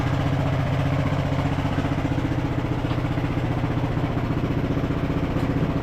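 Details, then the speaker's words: Revived Craftsman LT1000 riding mower, single-cylinder, driving under load in gear: steady pulse about three beats a second, even and smooth, no knocks or misses; running really smooth, though brakes need adjusting. "So we'll probably have to adjust the brakes, but it's running really smooth."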